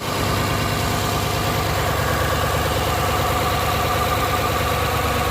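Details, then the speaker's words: GMC V8 (Yukon/Denali type) idling with uneven, stumbling misfire on left-bank cylinder 1, smoke from left side; intake hydraulic valve lifter stuck holding valve closed; replacing the lifter fixed it. "Left side का जो है cylinder mains fire कर रहा cylinder number one तो देखा तो उसका वाल लिफ्टर जो है वह काम नहीं कर रहा इनटेक वाला जो है हाइड्रोलिक वल लिफ्टर वह प्रॉपर काम नहीं कर रहा वो बंद रख रहा है वाल को खुलने ही नहीं"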